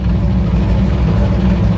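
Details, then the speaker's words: 1964 Impala 454 big-block just after a cold start: deep loud idle with busy lifter ticking that eventually goes away, running rough but starting to clear up; owner may need to re-adjust the valves. "let me get it started up and uh I'll show you other than those lifters raisin cane but"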